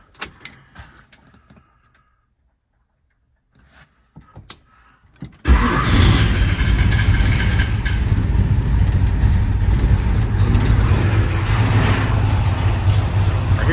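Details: 1966 muscle truck V8 cranks after keys rattle, catches at once and settles into a low, steady rumbling idle; starts and runs fine, though an exhaust leak is heard, headers to come off for new gaskets.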